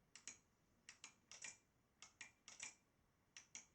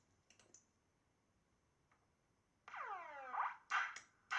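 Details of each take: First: Model Racing Supershot arcade boardset: paired sharp lamp-relay clicks on target hits but no game sound from the speaker; the audio board supply reads under 1 V instead of 11 V. Blown audio supply. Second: Italian Model Racing Supershot arcade board after replacing a too-short fuse in the transformer secondary fuse holder: falling synth sweeps and boing tones about twice a second, clean and undistorted; sound works again, though the beer-glass effect is still missing.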